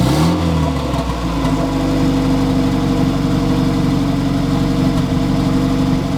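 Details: Honda Civic EF turbo build with B-series engine, first start with wastegate fitted, no coolant or turbo oil feed, run briefly: engine catches, flares, then settles into steady even idle, no knocks or rattles; normal idle.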